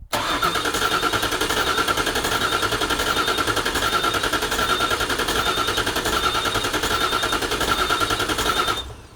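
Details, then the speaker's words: 5.4L V8-swapped 1979 Toyota Cressida, first start attempt: the fuel rail primes and the throttle body cycles, then steady starter cranking at about 3.5 beats per second that never fires; ECU connector clips were not fully latched. "still nothing ah man right so that's a whole bunch more troubleshooting um it turns out if you don't plug in the ECU correctly it won't start"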